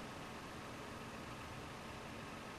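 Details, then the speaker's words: 2007 Toyota 4Runner with code P0016, in park: quiet, steady warm idle at about 800 rpm, VVT readings at zero, with no knocks, misses or surging; smooth, healthy idle. "our engine speed looks pretty normal around eight hundred or soul and our V V T stuff is all at zero"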